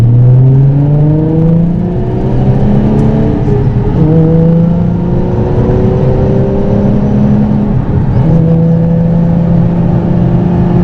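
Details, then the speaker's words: Nissan 350Z with welded differential at about 50 mph: loud, steady whine rising in pitch with speed on throttle, inaudible off throttle, persisting after a fluid change. Suspected rear differential, not confirmed. "so from what I can hear my diff decides that it wants to make the worst noise known to mankind I'm going 50 right now and it has to do with throttle input"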